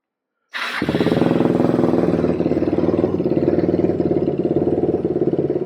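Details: Suzuki Quadracer LTR450 single-cylinder quad after cleaning dirty fuel injection and removing the inline filter, back from a road run: starts first crank, steady even idle about three beats a second, no misses; running fine.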